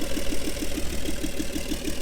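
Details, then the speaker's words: 1961 Chevy Bel Air 235 inline six, 3-speed column manual, off the road since 1981, runs again on day three with new gas tank and starter switch; even steady idle, six or seven soft pulses a second, no knocks. "and she's alive and she sounds really good it idles beautifully this car has been off the road since 81."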